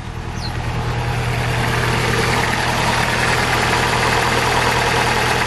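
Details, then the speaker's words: Vauxhall/Opel Astra Mk5, hard to start, engine light on: rough, lumpy idle juddering from a misfire, heard at engine and exhaust chuffing; new plugs and coil pack didn't cure it, head gasket failure blamed. "you'll be able to hear that you can see this juddering a misfire and if I take you to the exhaust you can also hear it back here as well"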